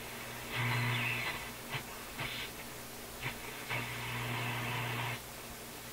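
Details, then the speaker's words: Nordmende console vacuum tube radio on restricted power after FM tubes were reseated: low mains hum under intermittent hiss and crackle, no station or voice received; not picking up stations, noise much reduced, AM band reportedly working. "Sounds like that made a big difference. Doesn't seem to want to pick up any stations."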